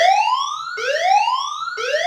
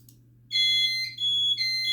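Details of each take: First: Notifier NFS2-3030/NCA-2 with DVC after fixing audio library incompatible trouble and reinitializing: clean rising whoop sweeps about once a second, even and strong, both speaker circuits lit; alarm audio working normally. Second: Notifier NFS2-3030 with NCA-2 panel and DVC, after database and audio library download: steady high-pitched trouble tone with short dips during initialization while DVC offline; troubles shown include no service, ground fault, audio library incompatible.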